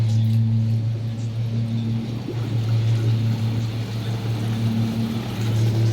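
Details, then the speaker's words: Replacement two-speed hot tub pump (old pump's impeller damaged, motor OK) running on low speed after refill while purging air; even, steady low hum with no surging, rattles or gurgling and no water leaks; normal pump running. "looks good no water leaks listening for air or anything you can hear when there's air in a pump like that usually"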